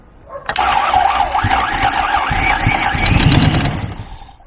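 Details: 1993 Lexus LS400 with original 1UZ V8, first start: engine turns over sluggishly with uneven chugging about three or four beats a second before catching; slow cranking, then starts on only four cylinders.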